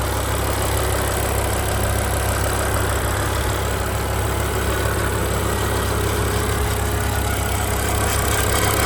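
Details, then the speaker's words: 2007 BMW M6 V10 with SMG, 67,000 miles: steady idle with an irregular tinny buzzing rattle on top; owner suspected a heat shield, and prying the heat shields with a wooden hammer quieted it; metallic rattle at idle. "I did hear this weird noise, so I'm going to let you hear this motor. You can hear the van noise. You're going to hear the engine and all that stuff. But listen to this. Is it a heat shield that's making this noise?"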